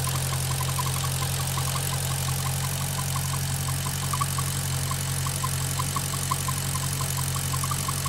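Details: Maserati GranTurismo at warm idle (operating temperature): a light, regular tick of about three per second rides over the idle hum. It is absent when cold or with the oil dipstick pulled; the cause is unknown.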